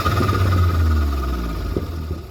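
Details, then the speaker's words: Vauxhall VXR turbo, before fitting a recirculation valve: engine blips up with a thin whistle on top, then revs fall and whistle fades; the sound with the recirculation valve messed up or disconnected. "we're gonna take everything off oh yeah no yes we are okay so this is where it sounds like when the reset valve is messed up"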